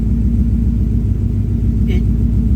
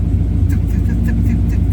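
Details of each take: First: 1965 V8 with earlier P0352 code, cold start idle: deep even rumble with no stumble, all eight cylinders sound like they are firing cleanly; misfire not reproduced. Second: 1965 V8 with P0352 check engine code, fairly chilly day: uneven idle with a puff like one cylinder blowing air every revolution, tick-like; idle misfire, cause suspected, not confirmed, no new code reported yet.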